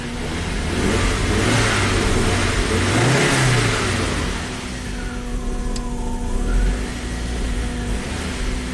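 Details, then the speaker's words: Rare abandoned Audi turbo running on a cold engine: uneven, lazy rev swells over a steady idle, reluctant to rev. The fuel pump is noisy, but it runs smoothly. "a little reluctant to uh Rev on a cold engine here"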